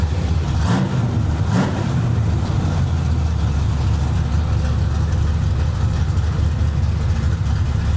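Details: Carbureted V8 after backing the adjustment off during carb tuning: a couple of quick blips then a deep, even idle with no stumble; runs clean.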